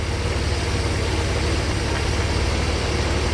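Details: 1991 Mercedes 300E with wrong resistor-type spark plugs fitted (two were wet): low, steady idle rumble with even beat, no misfire or surging; engine now runs smoother.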